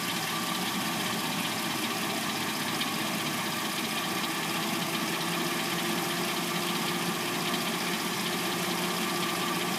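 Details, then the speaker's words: 2006-09 Hyundai Sonata with replacement engine, first start after sitting overnight, now at warm idle: light, uneven top-end clatter, a couple of clacks a second; owner assumes timing chain, unconfirmed. "Car hasn't been started all night, and we're going to hear what the car sounds like from start until when what I assume to be the timing chain, um, before it starts making its little clackety noise. can hear the timing chain noise."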